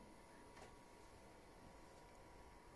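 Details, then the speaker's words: PlayStation 4 that overheated and roared like a vacuum cleaner, after the processor was cleaned and thermal paste reapplied: near silence with only a faint steady hum, the cooling fan now running quietly. "Ben hemen alayım videoyu şöyle yakından göstereyim herhangi bir ses yok arkadaşlar ben vantilatörün sesi bile şu an duyulmuyor diyebilirim"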